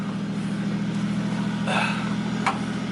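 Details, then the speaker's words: Nissan 240SX S13 with 1JZ VVTi swap, after reinforced rear subframe, exhaust, driveshaft and sway bar reinstalled: even, steady engine note, clean low drone with no knocks, ticks or clunks; runs healthy. "the car looks good it sounds good oh my god this thing is being here for a little bit right away no problema"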